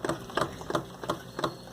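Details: Suzuki GSR150i motorcycle: sharp, evenly spaced clacks about three a second from the front end with fender removed; knock persists, appears to be in the fork leg; owner suspects incorrect fork oil quantity, not confirmed.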